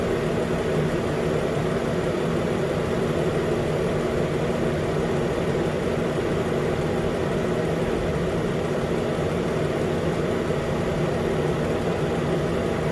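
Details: 2013 Nissan Pathfinder at 265k miles, idling after AC compressor clutch and serpentine belt replacement: smooth steady low drone, no squeal, chirp or knock from the engine front; normal idle.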